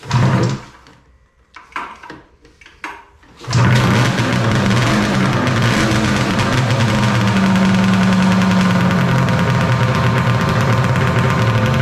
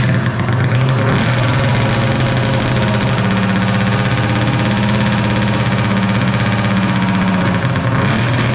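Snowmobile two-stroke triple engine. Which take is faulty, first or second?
second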